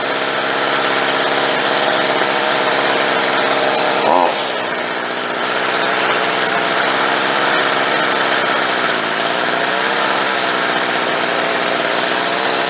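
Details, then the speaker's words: Stihl 55R two-stroke weed eater during carburetor tuning: buzzy engine running steadily at high revs with a brief dip as the idle is turned down after the high-speed screw is adjusted; afterward it starts and runs better. "Anois táimid ag coigeartú an deireadh ard le beagán agus táimid chun dul ar an díomhaoin síos roinnt"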